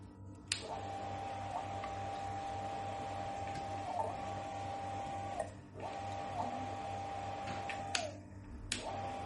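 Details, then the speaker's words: Shimizu water pump after bearing replacement to fix a rough, noisy sound; now a steady low hum and even whine with light clicks and no grinding, smooth like new. "Nah, suara kasar pompa sudah hilang, suara pompa kembali halus seperti baru."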